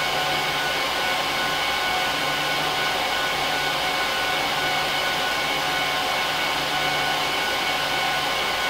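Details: HP ProLiant DL380p Gen8 server (24×4GB DIMMs, eight 300GB 10,000 rpm drives in RAID 5, both PSUs, no cards) during POST/boot: loud, steady rushing roar with faint tones, dead even throughout; fans at full speed during startup, normal.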